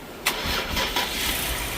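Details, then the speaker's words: 2020+ Ford Explorer Platinum 3.0L after replacing a sensor and clearing codes: brief starter whirr, catches within a second and idles smoothly; starts right up, despite a weak battery and suspected bad alternator. "so yeah as you can see it starts right up"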